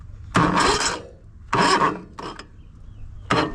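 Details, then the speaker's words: Riding mower with a Predator 708cc engine, started from a portable power pack: short, slow, labored churning bursts under one a second that never gain speed. The weak power-pack battery is the cause. "slightly better than the other unit but not by much. So, the good news is it's not the pressure release mechanism that's bad on the other unit. It's this power pack the battery that's on the unit"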